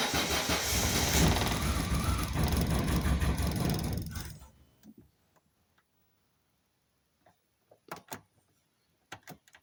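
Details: Volvo 480 Turbo cranks steadily for about four seconds with no firing, then stops with a few clicks; still won't start after replacing fuel pump, leads, spark plugs, rotor and cap.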